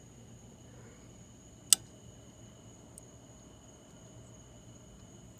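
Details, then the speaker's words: Mini dorm refrigerator that is not cooling, plugged in: a single sharp click over a faint hum as the compressor tries but fails to start; the thermostat is ruled out, so the compressor or start device is suspected. "i'm not sure if you heard that clicking okay so these are simple units uh you have a start device on the compressor on the inside you have a thermostat you can rule your thermostat out as of right now because you heard that clicking that buzz so as of right now we have either a bad compressor or a bad start device"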